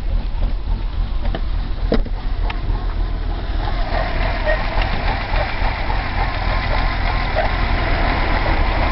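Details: BMW 320i E30 M20B20, cold engine, noise appeared after about 100 m of driving rather than at start-up: uneven, wandering idle with a faint chirpy squeak on top; cause unclear.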